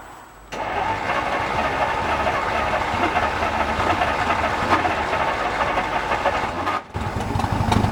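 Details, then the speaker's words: 1950 Dodge, first start in 40 years, timing bumped a couple of degrees, weak battery, engine full of old oil: slow, uneven cranking catches into a rough run for several seconds, then cuts out, not spinning fast enough to keep running. Catches then dies. "just can't seem to get enough velocity to keep it running oh well there must be just a lot of I mean that was full of old oil and [ __ ]"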